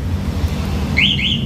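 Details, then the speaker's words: Motorcycle with MP One alarm, engine started and then shut off by remote: over a low engine hum, two quick rising chirps confirm remote engine stop; holding the button silences them. "Nah, untuk matikan ini kan ada suara. Jadi kalau nggak pengen ada suara, tombolnya ditahan."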